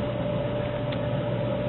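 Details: Dell server power supply unit, scavenged for bench use, outputting about 12.5 V; loud, steady whir with constant tone and no rattle, scrape or pulsing: the supply fan running normally.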